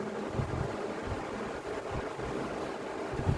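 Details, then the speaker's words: Household fan after repair of a loose, wobbling shaft that wouldn't spin unaided: now runs normally at high speed (setting 3) with a steady motor hum and smooth rush of air. "así que de 10 lo prendemos uno funciona dos y el tres anda de 10"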